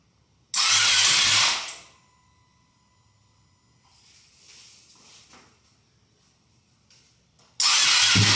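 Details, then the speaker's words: Wrecked Ducati Panigale V2 Bayliss rebuild, first start attempts with a little fuel in the cleaned tank: two harsh bursts of starter whirr without catching; owner suspects the battery is a bit dead. "See, I thought the battery is a bit dead."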